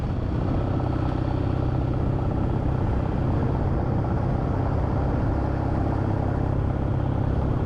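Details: Kawasaki W650 twin-cylinder motorcycle after fixing a rattle that appeared around 40–60 km/h: steady, deep, even idle beat with no rattle or buzzing on top.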